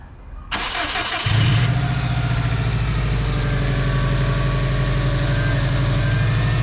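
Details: 2006 Subaru WRX, 92,000 miles, after battery terminal and plug work: brief crank, clean catch, steady even idle with no knocks or misses; still runs, sounds healthy.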